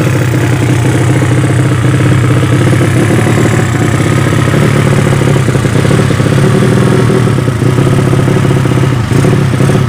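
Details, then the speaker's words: Yamaha Vega ZR with swapped 200cc Mio cylinder, P2 26 carb, Shogun ignition, oil pressure up: loud raw steady bark from bare header at fast idle with rough edge; exhaust pipe too small, carb not yet set right. "Oke seanu dah hidup olinya udah naik tapi ini knalpot nya kekecilan ya"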